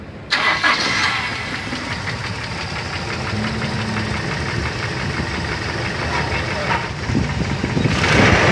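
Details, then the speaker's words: Toyota Kijang Kapsul engine at idle: a fast, light "kletek" tapping at about three ticks per second over a steady idle, ticking from the valve mechanism. "Yo kita cari tahu Apa penyebab dari mesin Kijang Kapsul yang bunyinya kletek seperti ini nanti kita analisa bersama-sama nih suaranya begini Bro"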